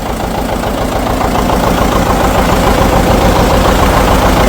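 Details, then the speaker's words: 1959 John Deere 730 two-cylinder tractor, sat outside about a year and a half, just started with good oil pressure: steady even popping about three and a half beats a second, no misses or knocks; normal idle. "Okay. That's nice to hear it running. Well, that runs pretty good."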